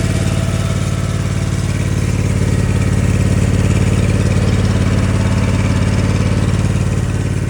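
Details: Ditch Witch 1820 trencher, petrol engine after carburetor cleaning: steady, even putter at fast idle without misses or surging; normal running.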